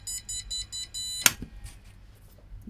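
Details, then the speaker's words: Flea-market retro PC booted with the RAM removed to compare beep codes: repeating high beeps in an even pattern, different from before, then stopping; board flagging missing memory. "Take the RAM out and let's see if we get the same bleep. Okay. So, start. No, that's different."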